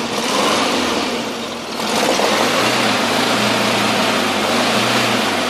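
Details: VW Camper 1600 TP air-cooled engine at cold idle: an uneven knock of about three to four per second over the fan rush. It goes away once warm and is not fan or alternator related; cause unknown.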